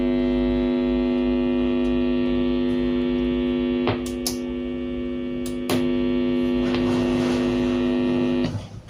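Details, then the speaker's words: Home-built amplifier on 220 V mains with no input: a steady low buzzing hum, unchanged with the tone control disconnected, fading at switch-off; a ground loop in the wiring. "Udah kita colokin ke arus listrik 220 volt, kita hidupin. Tuh, ada suara dengung. Masih sama. Kalau kita lepas pun tone controlnya masih dengung."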